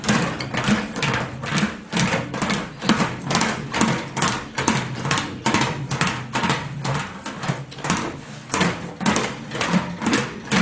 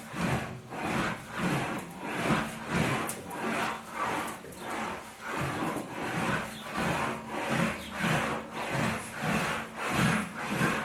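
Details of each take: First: Homebuilt English wheel with 3.5-inch radius wheels set very loose to knock down lumps on a large panel: the panel hops over the lumps with a loose rolling clatter of about two thumps a second. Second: Homemade English wheel (wheeling machine) smoothing a hammered metal panel: even rhythmic rasping swish about every 0.6 seconds as the panel rolls back and forth, indicating correct wheel pressure and a normal working sound.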